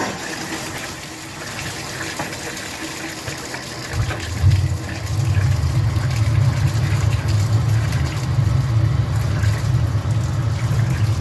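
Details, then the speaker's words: Tankless gas water heater after a service and flush, hot-water test: ignition ticking gives way at about four seconds to a steady low roar as the burner lights and holds evenly; normal burner ignition. "go ahead and activate this relief out one more time and then you should hear the click click click and then the burner come on"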